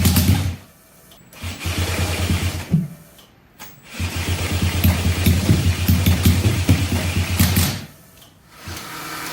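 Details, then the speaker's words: 1968 Honda CL175 twin with supercharged EFI on E85: catches in short, lumpy bursts and dies between them; right cylinder dead, exhaust cold and plug dry with good spark. "All right, so we were able to get it to fire on one cylinder, which I guess is something, but the right-hand cylinder exhaust is stone cold, so we're not getting anything on the right-hand side."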